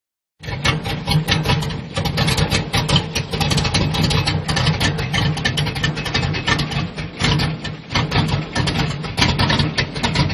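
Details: Square-body truck at idle: the idle rises and falls in uneven, lumpy pulses instead of a smooth, steady beat, a rough idle whose cause is not yet pinned down.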